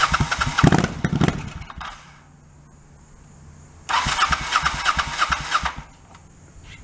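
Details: 1984 Honda Shadow VT700C, unrun for over 7 years, rebuilt starter and carburetors, second start attempt with starter fluid in carbs and main tank off: starter churns in two ~2-second bursts, engine never catches; crank no-start, loose clamps leaking fuel.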